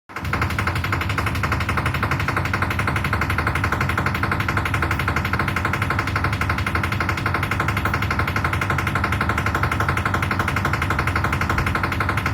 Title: IFB Washing machine making noise 10kg aqua